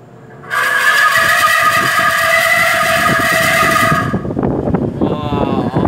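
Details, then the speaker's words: Large electric fan: over the motor hum, a loud, wavering, honking tone suddenly blares for about three seconds, like an elephant trumpeting. Trumpeting squeal. "You know what's scary? My cat? No. My elephant electric fan. You wanna know why? Sounds like an elephant."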